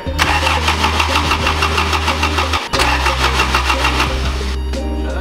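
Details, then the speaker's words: 1985 Toyota Corolla AE86, after cleaning the battery terminals: steady starter cranking at about three turns a second that never catches; crank-no-start, spark untested, and the fuel pump is not heard priming. "all right guys so we just cranked it not sure what's going on with it i haven't tested for spark yet"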